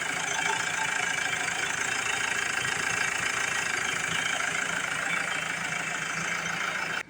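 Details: 2007 Ford Transit Mk7 2.2 TDCi with stalling and rough idle, just after the fuel system bled air and it started: loud, busy diesel clatter at idle runs evenly for seven seconds without stalling; rough idle fault remains unresolved.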